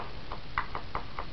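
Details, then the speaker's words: Ascendant Audio Havoc 15-inch woofer pop-tested with a 9 V battery on the coil leads: five sharp dull pops about a quarter second apart as the cone moves out in phase; voice coil is good. "it's in Phase right now so the speakers actually moving out and you can hear it making noise so that means the coils are good"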